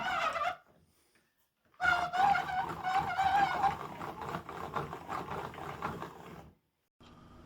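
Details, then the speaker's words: Hand-cranked wooden freight lifting-table model, with a worm gear driving a box and scissors lifting the table: a thin wavering squeal over wooden rattling while cranking. The worm gear mesh has always been a little tight. "the worm gear has always been a little tight on this model so you might hear it squeal a little"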